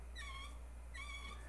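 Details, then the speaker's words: GM 400 transmission roller clutch (roller sprag) turned by hand, bench-disassembled: two short high squeaks, normal for a roller type; a true sprag spins freely without squeaking; being replaced with 4L80E drum. "that means it has a rollers in there and that's going to be called a roller sprag or roller clutch a sprag will not squeak it'll just Sprint freely"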